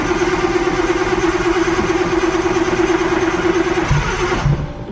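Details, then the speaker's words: Car cold-started after sitting for weeks, voltage good: lumpy but steady idle with no knocks or misses, then the engine is shut off. Sounds healthy. "thing hasn't been started in weeks let's see she's happy voltage sounds good"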